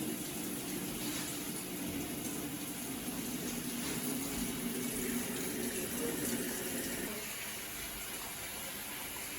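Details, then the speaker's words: Avanti TLW21D2P portable washing machine, found discarded and under repair, filling, probably for the rinse: a steady rush of water for about seven seconds, then easing. The drain hose is on the floor but no water escapes, and the pressure switch stops the fill. Normal water fill. "Okay, so as you can see, the water goes in smoothly. Nothing is coming out."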